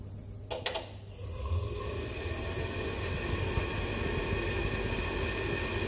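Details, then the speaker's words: Ideal Isar HE35 boiler showing LF fault code, after replacing the spark generator: a couple of sharp ignition clicks then burner catches into a steady low roar; ignition restored, normal burner lighting. "works so there you go we've got ignition"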